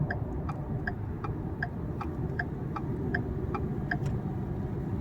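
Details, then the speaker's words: Ford F-150 driving at speed after new wheel bearings, following complaint of noise since suspension work: steady tire roar with faint regular tick, no hum or growl building with speed; earlier rumble likely bearings, now healthy. "Ya no más le escucho el puro el puro de la llanta. Se me hace que si ya no le escucho el rumbido porque sí le llegué a escuchar un rumbido ya cuando iba más baja velocidad ya no se escucha."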